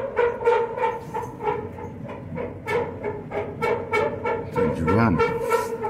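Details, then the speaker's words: Clothes dryer after greasing in place of new felts, quieter than before but still noisy: loud rhythmic thumping about three times a second with groaning hum as the worn drum turns; noise reportedly stops after running a while; replace drum or live with it. "Yeah, the drum is worn. Try again, hang on. So after it does it for a while, it stops."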